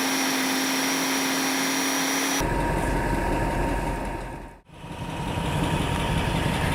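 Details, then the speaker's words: Lexus LS 400 air suspension lowering from high position back to normal ride height with engine idling: a steady whine, then a soft even rush as the car settles; suspension working properly. "And I'm going back to normal ride height."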